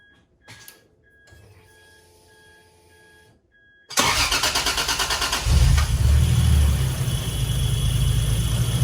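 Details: 1986.5 Toyota Supra MK3 converted to 2JZGTE VVTi with R154 manual, DIY cold-start air valve from Aristo parts: no pedal, out of gear, starter catches almost instantly into steady even idle; smooth reliable cold start.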